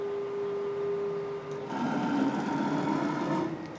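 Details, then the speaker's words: STEPPERONLINE Nema 23 integrated servo driving a CNC mill conversion axis: steady whirring tone that steps lower when axis moves change. The noise comes from the ball screw, not the servo motor. "definitely more quiet so the noise you hear on this access is actually the ball screw not the motor"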